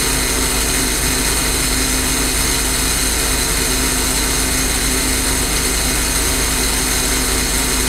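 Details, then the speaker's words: J. G. Brill gasoline motor car 120, an interurban rail car, running again after repair work before a test drive: steady, even engine roar holding one speed, no knocks or misfires; normal running. "As you can hear, the car is now running."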